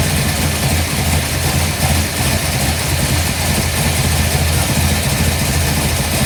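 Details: 1955 Bel Air, newly installed 572 big block (860hp), hydraulic roller, new headers, loud 40 series Flowmaster exhaust to rear: first run, deep steady even idle, no valvetrain tapping; ECU learning; normal idle.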